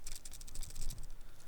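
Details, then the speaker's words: Tokina ATX 90mm macro lens shaken: light dry ticking rattle, about ten clicks a second, something loose inside the barrel. "But otherwise, I find that the 7artisans has generally higher build quality. The Tokina rattles a little, as you can hear."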